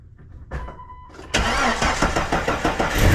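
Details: 1999 Jeep Wrangler TJ just after a new serpentine belt and new pulleys were installed (old pulley bearing was dry and noisy): engine cranks briefly, catches and settles into an even idle with no belt squeal or chirp.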